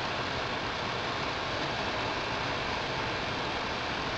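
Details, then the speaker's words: Ford Focus cabin blower fan, tested with key on, engine off, on the slowest speed: steady, even airy rush with no ticking, rubbing or wobble; runs normally at low speed. "So here we go. That's the slowest speed."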